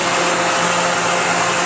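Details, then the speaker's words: 2011 Thermal Care NQA15 15-ton air-cooled chiller (scroll compressor, R410A, 3 hp pump) just started: pump on, then condenser fan and compressor kick in; loud steady airy fan rush, door sucked in, constant compressor hum; normal running. "so the first thing that happens is our uh our pump turned on and there'll be a little bit of a delay before we turned on and we already turned on that's the fan and the compressor kicking in that noise you heard was simply the uh the fan sucking in our door here"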